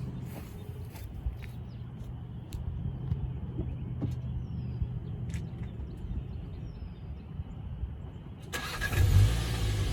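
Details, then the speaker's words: VW Jetta GLI MK7, owned about a year, stock factory exhaust: start-up and a couple of revs give a soft, low, very muted exhaust rumble with one brief rev near the end; normal healthy engine, owner dislikes how quiet it is. "Alright, another thing that I hate about this car is how quiet the exhaust is from factory. So I'm gonna start it up and give it a couple of revs and see if you could hear anything."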